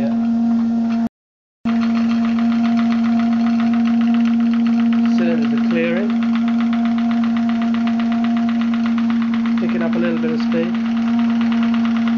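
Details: Graupner 5000 gas-fired model steam engine driving a pond water pump, at about two bar after condensate cleared from the cylinders: quick even chuffing over steady hum, no knocks or stumbles; running well, pumping strongly.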